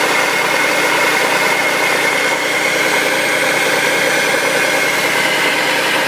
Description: 2004 Audi allroad 2.7t has loud noise during cold startup for about 30-45 seconds and then goes away.